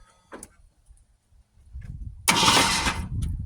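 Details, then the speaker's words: Original 1971 Ford Torino stored 25-30 years in a garage, new battery, fluid sprayed in: starter spins the engine over freely with even whirring crank, no binding or clunk; engine is not seized. "So it is indeed not stuck, which is super cool. So go ahead and give her a little more. Give her a few rotations."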